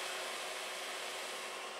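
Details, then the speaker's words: 2000 W power inverter on a 12 V power supply, switched on after an internal ground-to-positive short was found near a broken negative input pin. The cooling fan spins up with a steady, even whoosh and no rattles. "And now when I go here and I turn it on, it simply turns on and the fan starts"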